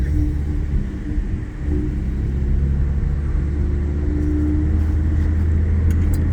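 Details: Audi A6 3.0T after Gibson 55106S anti-rasp muffler install, test pipes, small stock resonators: cruising in cabin, steady low boomy drone, mild and not bad; rasp gone but owner may want to reduce the drone.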